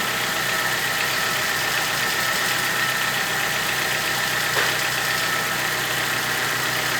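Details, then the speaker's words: VW Gol G4 two-door four-cylinder, recently bought, little used by previous owner, already decarbonized: steady harsh metallic rattle over the hum, heard only when accelerating, normal when not; cause unknown, phone recording at the front of the car. "mas quando acelera ele apresenta aquele barulho e aí eu tô querendo saber o que pode ser"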